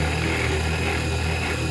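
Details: CNC1310 desktop router, modified with encoders on its stepper motors to stop step-out, machining steel on a Fusion360 toolpath: steady even spindle hum with a constant cutting buzz, no stutter or lurch from the axes; stable, normal cut.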